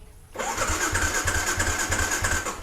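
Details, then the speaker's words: A Ysuku showing ER1 on the meter: the fuel pump is silent at key-on, and the starter spins with a high whir and even chuffs, about seven a second, but never catches. Fuel pump failure or no ECU supply to it is suspected. "Kalau ada dia akan bunyi, bermakna fuel pump tu dia mengepam bahan api ataupun petrol untuk tembak ke total body kan. So sekarang ni tak ada benda tu. Yang keluar dia tak hidup, and then dekat panel meter ni dia tulis ER1."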